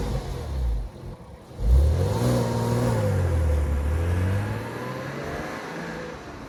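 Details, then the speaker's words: Porsche 986 Boxster after accident repair (suspension leg, sill), first road test, drive-by recorded from outside: pulls away with engine note rising smoothly and fading past, no misfire or knock; drives smoother, normal acceleration. "Half green, half silver, red wheel, silver wheels. But it certainly drives good."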